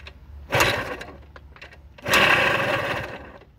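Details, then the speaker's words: Suzuki DS-80 two-stroke dirt bike kicked over on choke: rough grinding growl from bad, worn crankshaft bearings. "hear that sound that growling sound [Applause] [Music] [Music] that my friends is the sound of bad crank bearings"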